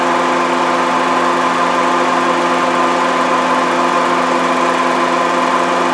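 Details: 2011 Honda CR-V at idle, listened to with a long stethoscope near the compressor: steady loud rattling with a constant gravelly whirr, pitch changing sharply as the compressor cycles on and off; failed AC compressor, compressor to be replaced.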